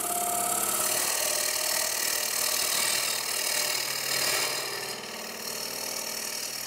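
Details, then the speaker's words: Wood lathe hollowing a clock base with a fingernail-grind bullnose bowl gouge on bone-dry hard maple, push stroke rubbing the bevel: steady airy hiss over smooth motor hum, no chatter or catches; a normal clean cut. "Just listen to that wood, bone dry hard maple just floating away. That's just so much fun."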